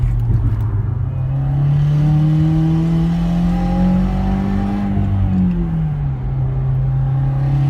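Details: 2017 Subaru WRX, no mods or tune: raspy metallic buzz and rattle over the drone at high rpm under high boost. A nut missing or snapped off at the exhaust manifold is causing a boost and exhaust leak, for the second time.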